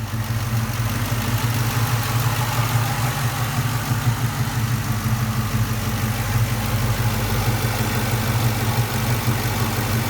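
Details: 1999–2004 Ford Mustang GT 4.6L V8 idling with a steady low rumble and a faint, fast ticking on top; cause unknown.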